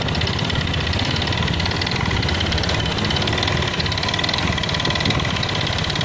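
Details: Honda Beat FI (K44) scooter engine before teardown: dense metallic tapping over the exhaust that follows the throttle and sounds rough when revved; flywheel magnet checked OK; owner suspects the connecting rod.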